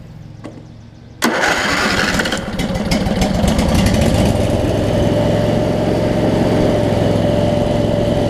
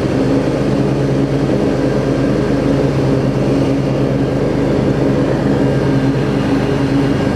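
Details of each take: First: Craftsman DLT riding mower, 25 hp Briggs & Stratton V-twin, with the ignition fully grounded: steady rhythmic starter churning, about 3.5 turns per second, never firing because there is no spark. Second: Craftsman DLT riding mower, 25 hp Briggs & Stratton V-twin, after carburetor clean and kill/stator wire repair: steady, even drone with blades engaged, no longer surging, occasional slight misfire; running smooth under load and idling well.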